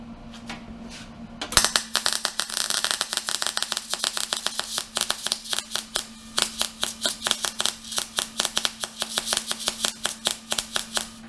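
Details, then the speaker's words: New MIG welder making a bead: choppy irregular crackle and popping over steady hum instead of smooth sizzle; welder not welding right, seems too hot, gas and wire speed being adjusted. Settings suspected, not confirmed. "yeah that thing's not welding right but it's one right no it's not do you know how do you hear it that's not it open the gap let's turn the gas up a little bit and then the wire speed up a little bit this definitely seems like it's too hot for this"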